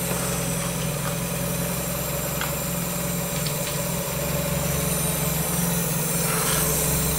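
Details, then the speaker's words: 1994 Miata NA with 2000 NB four-cylinder on Megasquirt and EDIS-4, first start restart while hunting an unlocated coolant leak; fairly steady even idle with light quick patter, running pretty good: normal idle. "well I'm gonna call this a success I guess I'll sort out that coolant leak when when I figure it out but overall she's running pretty good for a first start"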